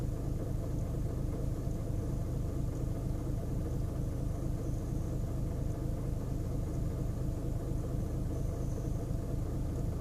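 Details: 2010 VW Golf 1.6 BlueMotion diesel just after starting: steady low idle rumble pulsing unevenly about four beats per second; rough idle on starting, cause unknown.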